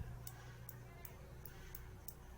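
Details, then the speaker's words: Bolex H-16 non-reflex movie camera during overhaul, surface rust only: crisp, even gear-train ticks about twice a second over quiet, clicking cleanly and moving smoothly; wires and springs good. "Look at the operation. Hear how nicely that's clicking right there?"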